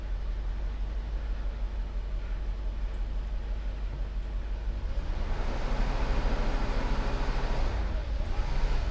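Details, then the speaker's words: 1990 Mercedes 560 SEC V8 held at steady throttle pedal pressure: low drone swells on its own, revs climbing without pedal change; engine surging, owner suspects fuel pump relay and plans to try another. "That's not me okay that was the car basically my foot has been on the pedal the same with the same pressure and it started to kind of do that"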